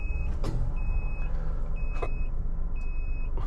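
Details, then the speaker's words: Maruti WagonR CNG taxi with running engine: steady high beeps about half a second long, repeating roughly once a second; the GPS tracker's panic/SOS alarm is stuck on even though the button was not pressed, and pressing does not stop it. "ഷേ, കൈ പോലും കൊണ്ടിട്ടില്ല എൻ്റെ. എന്നിട്ട് ഇങ്ങനെ emergency beep sound മാത്രമേ ഉള്ളൂ ഇടാ."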